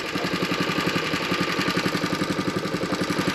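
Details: Engine: steady, even chug about three to four beats a second, no stumbles or extra knocking; normal, settled idle.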